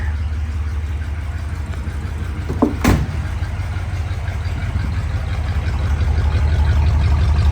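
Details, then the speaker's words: 1957 Ford Thunderbird V8, recorded from the rear at the through-bumper exhaust: deep, even burble at idle with no misses or ticks; normal healthy idle. "I just love that through bumper exhaust hey do not make cars like they used to no doubt about it this thing sounds awesome"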